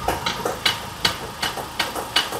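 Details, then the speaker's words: Ford Ranger off-road truck in four-wheel drive: sharp metallic clunks from underneath, about every half second in uneven pairs; the differential is in bad shape and needs removal and inspection. "takır tukur sesler geliyor takır tukur alt taraf bildiğin alt tarafta korkunç ses var"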